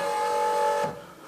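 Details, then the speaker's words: BMW R1150 GS after starter motor replacement, key-on with the engine a bit cold: a steady electric hum with clear tones for under a second, then cutoff; fuel pump priming, needed after the fuel seal was broken during the work. "so that's a fuel pump priming I'll do it again"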